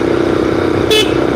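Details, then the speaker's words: Freshly finished GY6 scooter project: loud, steady, clean horn tone held about a second and a half; the horn works normally. "Yeah, sounds good. Sounds good. Yeah, the scooter is running good, guys."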